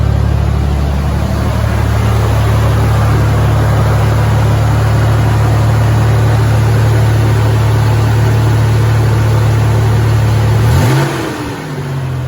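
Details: Supercharged Toyota truck ("Ole Red"): a deep, loud, rough drone held through a rev, then a quick drop, sounding like a little NASCAR because the exhaust is rusted out.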